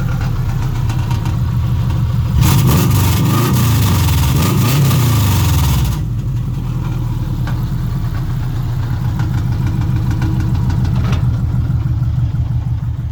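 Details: 1958 Volkswagen Beetle with naturally aspirated Subaru 2.5 swap: clean rev climbs and falls back smoothly, then settles into a steady even idle with no misses or knocks; engine sounds healthy.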